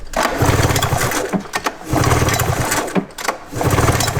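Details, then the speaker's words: Abandoned points-ignition snowmobile sitting about 20 years, pull-started: three short cranking bursts about a second apart, turns over but never fires; no spark seen, points ignition suspected. "Okay. I mean, I'm not surprised, dude. Yep, points of ignition. Sitting 20 years."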